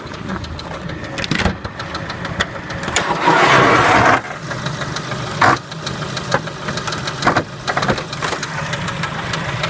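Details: Engine knock at idle on a Kia Spectra: uneven, sharp knocks breaking through roughly every second, coming from inside the engine; cause not yet pinned down.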